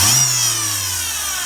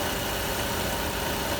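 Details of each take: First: Citroën C4 1.6 16v idling with a high thin squeal over the engine from a worn accessory-belt pulley bearing, before timing belt and poly-V belt replacement. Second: Citroën C4 1.6 16v after timing belt, poly-V tensioner, oil, oil filter and fuel filter replacement that cured a strange engine noise: smooth, even, quiet idle with no squeal, rattle or knock.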